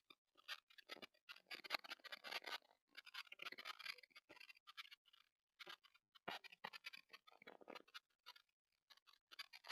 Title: TP-Link Tapo C225 Indoor PT Camera – Poor Audio Quality Test (Crackling Noise in Silent Room)